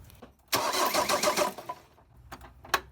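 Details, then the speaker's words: Ford Transit 2.5DI diesel after inlet manifold cleaning, bleeding high-pressure injector lines one by one: about a second of quick uneven cranking that never catches; crank no-start from air in fuel lines. "so i now need to bleed the high pressure fuel lines and i'm going to do it one by one all right starting with injector one i'm just going to go turn the engine over a few cranks until fuel starts coming out of here and then i'm going to tighten it up"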